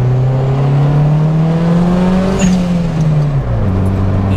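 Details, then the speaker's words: Turbo Honda Civic RT4WD wagon with single-cam engine, just after the broken downpipe was repaired, driving normally: smooth, even engine drone rising and settling with throttle, soft turbo note, exhaust sealed and quiet; normal light driving. "like still hear the turbo but when you drive it normal Turbo's big quiet"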